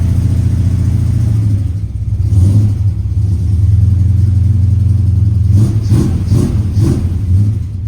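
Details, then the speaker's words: 1975 Chevy C10 454 big-block V8, carbureted, long tubes, 3-inch exhaust, first start: deep, lumpy rumble that surges and sags with ragged bursts; rough running. "Oh my God, guys, she runs. Oh my God. Ha! Something ain't right."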